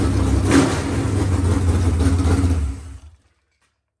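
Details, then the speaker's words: Freshly rebuilt 383 V8 for a C10, running on an engine stand: even deep burble, quick rev pulling up cleanly, no knocks or ticks before shutoff; healthy, normal running. "I can't run on an engine stand. That's going to collapse. But that sounds pretty sweet."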